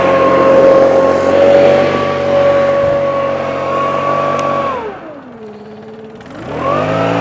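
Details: Stihl BR600 backpack leaf blower in for valve adjustment and full service, running on fresh fuel after starting on choke: strong steady high-pitched howl that drops away and climbs back cleanly on the throttle; engine runs healthy.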